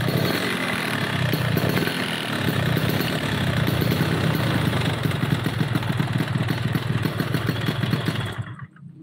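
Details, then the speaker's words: Yamaha RX two-stroke motorcycle lacking power, compression not tight: uneven idle with a harsh, rattly clatter over the exhaust beat before it shuts off; cracked piston. "Oke, dari suara mesinnya teman-teman bisa dengar, dan ini motor tenaganya kurang maksimal. Masalahnya kompresi kurang rapat, kedua membrannya terlalu berat."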